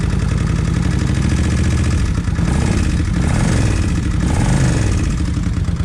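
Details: Kawasaki Vulcan 1600 V-twin after new injectors fixed a wet-plug problem: steady, even lumpy idle with smooth low thump, no misfire or stumble; runs cleanly, faint fuel pump noise remains.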